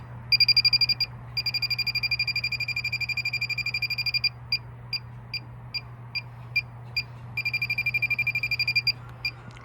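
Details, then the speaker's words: 1986 Toyota Camry A/C after vacuuming and recharging: leak detector sniffer beeps rapidly about four a second, into near-continuous bursts over a low hum; refrigerant leaking from the newly installed valve. "So, yeah, we have a leak out of the brand new valve we just installed."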